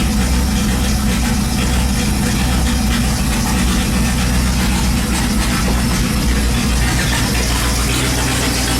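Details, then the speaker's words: 5.2 V8 swapped Dakota, open headers before turbo install, after pulling some timing: loud ragged stumbling idle; owner suspects timing still way off, firing too early, unconfirmed. "sounds like the timing is way way off on it like it's firing too early so I'm gonna have to look into that later"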